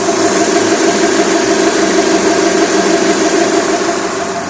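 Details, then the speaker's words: Mitsubishi 4G63/4G64/4G69 engine at hot idle after timing belt replacement with a stiff Kevlar Gates/OEM belt: a constant mid-pitched drone like a plucked string. The belt is vibrating from its stiffness, which is harmless. "они очень жесткий они работают как струна еще раз послушаем звук он проявляется на холостых на горячих"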